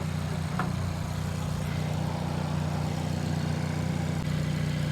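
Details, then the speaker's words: Hyundai Elantra N idling under the hood after an upgraded high-pressure fuel pump install (Shark Racing Sonata 2.0T part), no leaks: a steady low hum with a faint even whir, no ticking or misses. Normal idle. "Alright guys, I don't see no leaks, anything like that, everything sounds good."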